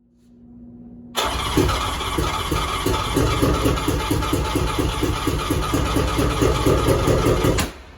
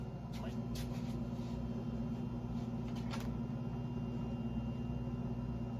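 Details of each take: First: Three-cylinder 1100 engine with the other two plugs out: catches and runs rough, loping chuffing beat about two per second, firing only on the middle cylinder; cause unknown. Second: Three-cylinder 1100 engine, warm with the head at 186, starter now grounded directly: a steady, even drone with no stumbling; suspected earlier causes were bad gas, too much oil, assembly lube and slow cranking.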